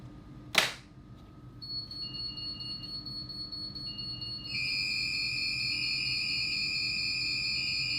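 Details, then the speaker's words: Superyacht fire alarm system triggered from a manual call point after a panel reset, during monthly testing: sharp click, then steady high electronic tones build and hold evenly; sounder working normally, system reset afterward. "And there we have it. Fire alarm was set off, reset it, I've reset the system."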